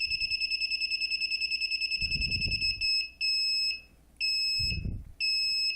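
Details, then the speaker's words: DIY propane leak detector, MQ-5 sensor with Arduino Nano, moved closer to gas: shrill beeps about six per second, then long tones a second apart; gas detected alarm, beep rate follows concentration. "so if I go the closer I go the faster should start beating a lot"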